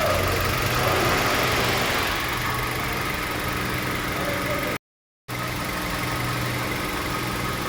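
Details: Petrol engine after repairing a P0302 cylinder 2 misfire (dropped lifters and a valve replaced, plug and coil changed): steady idle with an even low hum and a soft, regular valvetrain tick.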